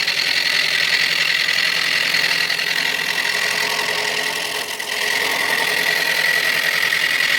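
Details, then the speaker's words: Tool on a wood lathe turning an out-of-round mallet blank. Rhythmic scraping chatter pulses with each turn as the tool cuts intermittently, then evens out as the flats go away. Some flats remain, and a knot at one end adds hardness and bounce. "okay you could just hear the flats go away yep hadn't quite got all the flats so but it's starting to feel very smooth"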